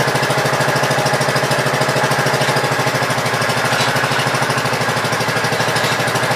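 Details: Gravely Pro 12 single-cylinder after cylinder head refitted, choke on, throttle just above idle: steady putter about three firing beats a second, even, no knock; running normally.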